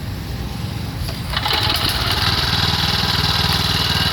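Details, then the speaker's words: Mitsubishi MMR68 6.3 hp petrol walk-behind tiller, single cylinder: starts easily with one pull, settles into a quick even beat with no misses; engine in very good condition, normal running. "เครื่องดีมากครับเดี๋ยวฟังเสียงเครื่องยนตต์กันดูนะครับจะคล้ายๆกับไอ้คันที่ผมขายไปคันก่อนนะครับ"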